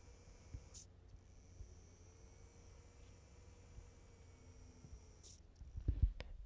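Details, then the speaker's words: MSI B650I Edge Wifi motherboard M.2 cooler fan, briefly powered with no graphics card: faint steady fan hum just above quiet room rumble, no rattles or ticking. Small cooler fan running normally, audible but fairly quiet. "yeah it's it's not half bad of a fan noise but you can hear it so that's what this little fan sounds like for my particular build"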